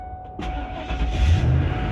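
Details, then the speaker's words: 2007 Ford F250 cargo van that lost power and stalled with dim lights, after alternator replacement and a loose negative lead fixed: starter grinds briefly, engine catches into steady even idle; normal start, alternator charging. "Alright, so it's running. Good. Off the positive. Should stay running. The alternator is working."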